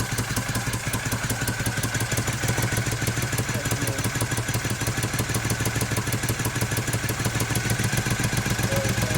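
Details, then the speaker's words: 1971 Moto Guzzi Ambassador V-twin, under full restoration with new rings, first fire-up, still cold: uneven lumpy idle with irregular pulses and clatter, hunting; slide screws fully up because motor is so tight; valve adjustment planned and richer jetting likely; rough idle. "We got the slide screws all the way up because the motor's so tight right now."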